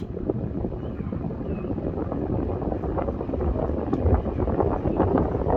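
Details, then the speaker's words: 1977 Kmart box fan after restoration, running on medium speed after low: even airy whoosh with low rumble, no ticking, scraping or wobble; normal operation. "Turn it down to medium and then low. Low speed's actually pretty low. Let's turn it up to medium."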